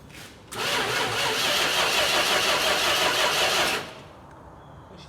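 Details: 1971 Dodge Charger, 26k miles, sat 27 years with old fuel likely varnished, poorly attached ground wire: starter spins engine evenly about three seconds but it never fires; crank no start.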